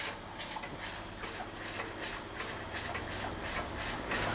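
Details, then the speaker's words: Weeden 44 model steam engine, boiler boiling with steam pressure but little power: soft uneven chuffs about three a second over a steady hiss; barely turning over, governor can stall it, owner unsure whether steam pressure is lacking. "And that seems to be about as fast as I can get it to run. I mean, it is running, but it's only just running."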